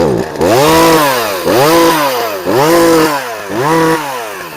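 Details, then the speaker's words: Free Poulan chainsaw after carburettor adjustment: blipped about once a second, climbing cleanly to high revs and dropping back without bogging; runs and cuts, though not fully right with the cover on. "Well, as you see, this free chainsaw she runs and she cuts again."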